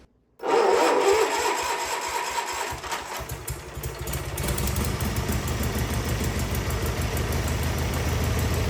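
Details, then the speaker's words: Wheel Horse 520H garden tractor with a Kohler engine, revived after sitting, running off its own gas tank and started by jumping the solenoid: it fires at once and settles into a steady, even beat of about four pulses a second; runs great. "all right test drive successful I mean it runs great the hydrostatic rear end's working perfect"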